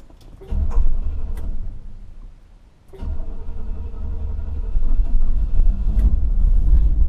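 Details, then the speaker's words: 1970 Buick Riviera V8, not run for a long time, started before an oil change: a couple of weak turns and a pause, then catches at about three seconds and settles into a low, uneven rumble; hesitant start. "Hésite un peu. C'est parti. Allez, moi c'est une voiture qui n'a pas, tu le sais très bien, hein, elle n'a pas tourné pendant longtemps."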